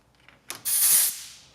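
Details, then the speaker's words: Vacuum coolant filler on 1960 Chevy Biscayne with LS swap: a couple of clicks, then sharp steady air hiss about half a second, tailing off, as tool pulls vacuum to remove air before drawing in coolant; normal. "it creates a vacuum on this other port and I can pull a vacuum down on the cooling system and once it takes all the air out of the cooling system"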